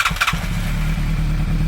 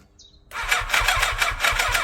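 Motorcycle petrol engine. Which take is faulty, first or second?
second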